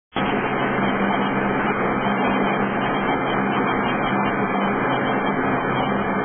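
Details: Mitsubishi 3000GT VR4 that stalled after a few minutes' running and won't restart: a steady relay buzz under loud fan rush, no firing, with both fans spinning fast and rpm fluctuating. Battery, MFI relay, belts and MAF were checked; the cause is unknown.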